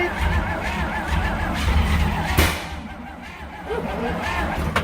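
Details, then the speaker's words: 1950 Dodge B2B truck parked since 1978, start attempt: uneven cranking almost catching, then two sharp pops about two seconds apart; backfiring on start attempts, which it hadn't done before; ether tried next. "Is that a backfire? Yeah. Huh. Yep. Oh, that. It didn't backfire before."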